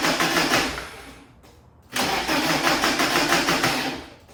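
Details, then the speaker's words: 1991 BMW E30 318is M42, first start after replacing timing chain guides with M44-style guides, cooling system being bled: engine catches, runs ragged, dies, restarts lumpy before smoothing; rough first start, idle low from a fuel tank leak. "That sounded pretty bad. But, it sounds good now, so We continue to bleed the cooling system out."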